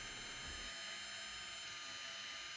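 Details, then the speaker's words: 2017 Lexus RX350 AWD rear caliper electric parking brake motor powered directly with 12 V DC to retract or push out the piston: steady, even high-pitched whine with no catches or stalls; motor running normally. "Clamp one wire of the DC output to one pin and touch the other wire of the DC output to the other pin, and you will hear a winding sound either to retract or push out the piston."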